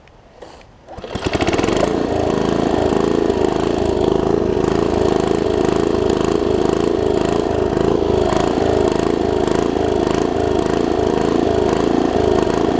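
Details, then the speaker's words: Troy-Bilt Tomahawk (Gardenway) curb-find chipper after its varnished carb jet was cleaned: it catches after a second of cranking and settles into a steady, even, loud run with a quick regular beat and no misses or surging. "uh what the heck let's crank it up i'll show you that it runs"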